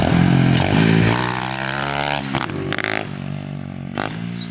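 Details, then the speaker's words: SSR 125 pit bike during carb tuning after pilot jet clean: single revs unevenly, popping and hesitating instead of pulling clean; still breaking up, lean mixture suspected, unconfirmed. "breaking up a little bit"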